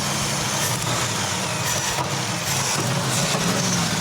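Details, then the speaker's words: 1978 Ford F100 driveway rescue after a new battery, fuel tank and fuel pump: engine fires and settles into an even, steady low-rumble idle with no knocks, misses or stumbles; running normally. "Whoa. Oh, yeah. Yes. All right. That sounds pretty good to me."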